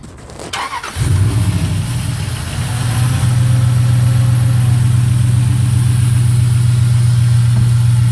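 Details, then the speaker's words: 2001 Dodge Durango after intake gasket work, started with the breather off and a piece left unconnected: brief crank, catches in about a second, then a loud, steady, low droning idle with a hollow note; the rough idle comes from the open breather letting in unmetered air. "Sounds like that because this isn't connected to this and we don't have the breather on."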